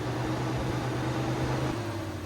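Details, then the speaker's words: Mitsubishi Lancer, key in accessory and engine not running: steady even radiator fan whoosh with a low hum; fan runs whenever the key is inserted, temperature sensors check out OK, faulty fan switch to be replaced. "So when you insert your key and you put it accessory, you'll hear the fan running. As you can see, the fan is running. And the car's not even on yet."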